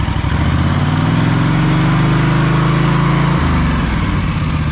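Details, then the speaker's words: Husqvarna stand-on mower: when the drive is engaged the engine note sags and stays low for seconds before slowly climbing, not reaching revs; owner suspects engine, clutch or possibly a pump, unconfirmed. "i'm thinking more engine related as well as the clutch but i'm thinking something to do with the engine it's fogging down it's not really getting up to revs"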